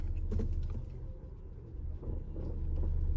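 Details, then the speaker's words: 2019 Ram Promaster City in reverse: deep engine rumble with scattered dull thuds, engine jerking, loud vibration in reverse and drive but silent in park and neutral; worn rear lower engine mount. "Drive, you can hear it. Especially drive, very loud, like the whole car vibrates, and you can feel the engine jerk back and forth."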